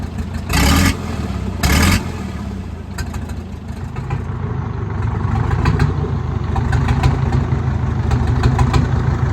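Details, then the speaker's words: Caterpillar 922B loader diesel, revived, heavy blow-by from breather: couple of loud bursts, then deep uneven diesel chug with clatter; running rough, engine described as pretty much worn out. "Early this morning, we finally got that thing fired right up, but it's running rough. That engine is pretty much done."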